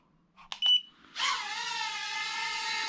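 Two short high beeps, then the small motors whine up to a steady pitch; normal takeoff command, and the drone lifts off fine.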